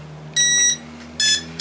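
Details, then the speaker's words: E-flite Beast UMX AS3X plane, battery just plugged in with DX8 transmitter on, sounds three bright high-pitched beep bursts in quick sequence: the speed controller's normal arming tones. "not going to put the cover back or do anything there we go we're armed so one of the first things you're going to notice is if i move you don't hear anything"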